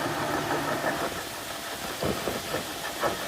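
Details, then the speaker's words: 1995 Jeep 4.0 with about 140–150k miles, running: a faint steady whirring over an uneven rumble. It appeared after a new water pump, belt and idler pulley; the mechanic suspects power steering pump bearings and plans a rebuild. "So I talked to my mechanic, he says it's the the bearings here on the power steering pump."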